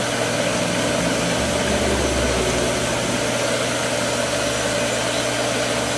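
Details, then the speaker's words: Pool pump motor running at steady speed while priming through the skimmer for manual vacuuming: harsh hissing whine over the hum, bearings screaming, worn motor bearings still working. "You can hear the bearings in it screaming now, but it's working. Hopefully, it makes it through the day."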